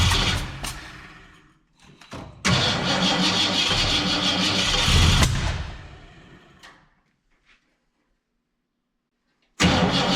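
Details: 1967 Ford Fairlane, not run in 7 years, timing adjusted: cranks and catches in ragged bursts, roars briefly, dies, then cranks again. Won't stay running; owner unsure whether it is fuel, carburetor needs a rebuild, and he plans to check the valves.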